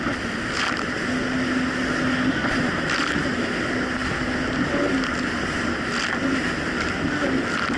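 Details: 2007 Yamaha VX Cruiser jet ski on choppy Lake Michigan after fitting new spark plugs gapped to .028, replacing mis-gapped old plugs: steady, even engine drone under water and wave noise, no surging or dropouts; running cleanly.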